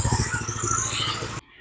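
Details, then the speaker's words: Deadpool go-kart small single-cylinder engine after idle screw raised then trimmed back as the kart began creeping: low steady even-thumping idle; idle now set right. "there we go that feels better now she's creeping a little bit so I'll turn it down"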